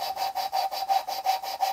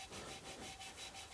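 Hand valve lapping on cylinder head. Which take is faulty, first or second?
first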